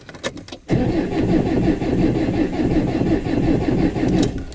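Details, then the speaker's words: 2019 Maxus V80, about 2.5/2.8 engine, no-start with crank sensor codes P0335/P0336: spins over fast with heavy, uneven mechanical knocking while cranking; loose, damaged crankshaft reluctor ring. "but it's got a it's got a serious mechanical knocking noise as well um and that what the hell's that I do not know"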